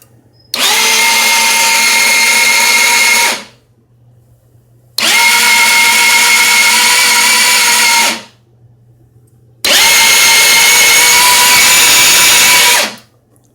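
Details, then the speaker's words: GY6 50cc scooter cranked in three bursts of about three seconds: an even starter whir with no firing or thud at all; air can be felt coming from the intake manifold. Cranks but won't start. "It doesn't, there's no thud or any sort of explosion at all."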